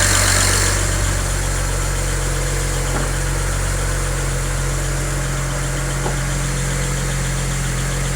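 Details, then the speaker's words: BMW 335i at cold idle, hood partly closed: light quick tick about four per second, sharper than the others and quieting as the engine warms, traced to an excessively loud number 6 fuel injector. "can you hear that ticking it's getting less quiet or less loud now because the engine's warming up"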